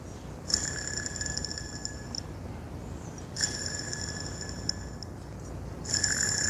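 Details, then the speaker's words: VW Gol AP 1.6 front accessory belt area, pulley bearing spun by hand off the belt: thin high whir and ring fading over a couple of seconds; bearing sounds worn, suspected source of the belt-area noise. "G1 es ist wirklich beschädigt Hören Sie sich das kleine Geräusch an, das hier zu hören ist drin und einen Streich zu spielen ist zu haben eine Kugel platzen lassen"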